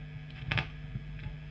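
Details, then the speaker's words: Late-1980s Hiwatt 100R Trinity tube guitar amp: steady mains hum with crackles and pops when the valve socket is moved; extremely microphonic with any tube, pointing to a faulty socket contact. "moving this socket we get all sorts of problems"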